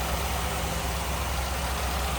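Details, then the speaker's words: 1957 Ford Fairlane 500 Skyliner retractable convertible V8, idling with hood open, stock-looking engine bay with power steering: deep, steady rumble with smooth, even pulses, no knocks or misses; a smooth runner, normal idle. "Wow, take a look underneath here. Baby is a smooth runner."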